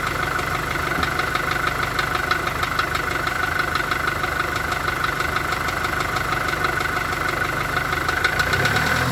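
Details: VW Golf 4 1.4 16V petrol engine at idle: steady, even, persistent light knocking about three per second; engine knock of unknown origin.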